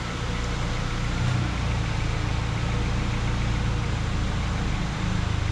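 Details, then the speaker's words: 1994 Honda Accord after a throttle body cleaning caused surging idle, restarted after full reassembly: it settles into a smooth, even low idle with no hunting or surging. Normal idle. "Sounds great. Sounds great."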